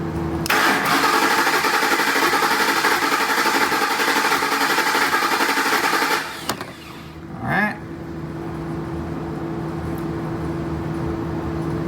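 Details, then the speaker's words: 2007 Ford Expedition 5.4L 3-valve with a rough, popping idle and no codes, cranked during a scope and amp-clamp relative compression test: about six seconds of uneven cranking, with the starter working harder on one cylinder (cylinder 5 flagged); low compression on one cylinder. "you can see we definitely have a compression issue but we need to find out where that's at"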